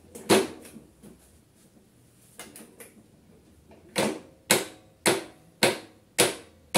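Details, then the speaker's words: Briggs & Stratton InStart battery electric-start lawnmower engine (no pull cord): short whirring bursts about twice a second, dying without the engine catching; faulty starter. "il y a vraiment beaucoup de problèmes mais écoutez cette machine là elle fait pas exception à la règle elle a un problème de démarreur ça donne ça"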